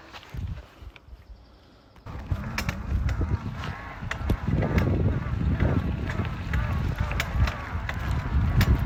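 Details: Specialized Levo e-bike drive unit: uneven clunks, clanks and creaks when pedalling and when the cranks are spun. The noise is almost as bad with the power off, and the drive unit is failing.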